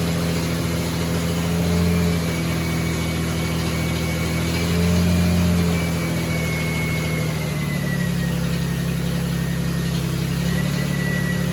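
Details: 1975 Triumph TR6 six-cylinder, first start after rebuild with camshaft degreed twice, on stand warming to 85–86 °C: smooth, even low drone with gentle rev swells, no knocks or ticks; normal idle, charging 14.2 V, oil pressure 90 psi.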